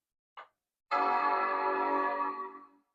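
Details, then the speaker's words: 28-year-old Apple Power Macintosh 7200/120 after reseating one RAM stick: short click, then one clean, full chord bong fading over about two seconds; normal startup chime, though no video output. "That sounds like a good solid bong."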